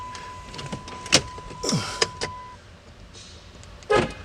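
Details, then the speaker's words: Rental van towed in with no crank no start after quitting on freeway; key on, power supply not dead: steady chime then short downward-sweeping window motor whirs; battery and power accessories work normally, computer still to be scanned. "see i had a key in here absolutely nothing i got power supplies not dead"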